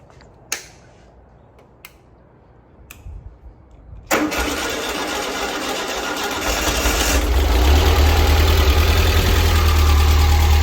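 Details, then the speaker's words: Freshly built 1641cc air-cooled engine for a Karmann Ghia, first fire-up just after throttle linkage fully opened: a few clicks, then it catches and settles into a busy steady run, climbing smoothly when revved; healthy normal start. "so let's um let's fire it up even though it's going to sound funny cuz we just gassed it all the way let's see"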